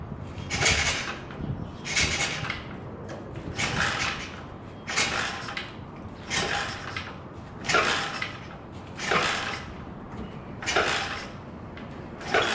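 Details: 110cc SSR 4-stroke, 4-speed pit bike: after oil change, fresh gas, carb and plug cleaning, repeated dry kick strokes about every 1.5 s with no firing; crank-no-start, cause unknown.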